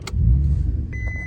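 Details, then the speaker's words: VW Mk4 Golf VR6: brief crank, the engine starts quietly and runs a moment, then dies to silence and keeps stalling; starts but won't keep running. "starts up quiet it's just stalled keeps stalling"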